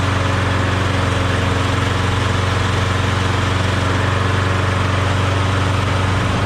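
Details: Briggs & Stratton Quantum lawnmower engine swapped onto a Craftsman mower: smooth even drone at steady speed, no hunting, misses or rattles; running well.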